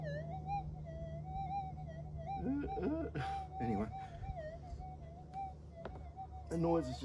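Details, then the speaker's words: Minelab GPZ 7000 metal detector, modified versus standard, swung in a suburban back yard near power lines and household appliances: wavering, warbling threshold with erratic chirps and surges over a low hum, shifting after retune to noise-cancel channel 44; electromagnetic interference. "just too great I really should not be doing this in Suburbia you can hear the noise look I'll just give it a retune and you'll hear the noise change again"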